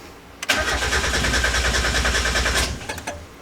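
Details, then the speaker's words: 1990–1993 Miata with new SpeedyEFI standalone ECU and stock TPS: about two seconds brisk even cranking, no cylinder catching; no-start later traced to a miscalibrated MAP sensor. "nothing all right then well looks like we're gonna hook up that uh that variable TPS after all because maybe that's why it's not letting it fire up it's not getting any sort of throttle signal"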